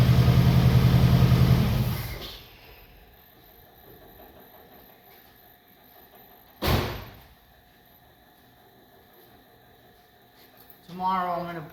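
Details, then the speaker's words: 1962 Oldsmobile F85, 230 all-aluminum engine, all original except an added Holley carb and choke, with a new coil, before timing and points are set: a couple seconds of smooth even idle with no misfire or knock before shutoff; sounds healthy. "But it sounds pretty nice. I'll shut it off."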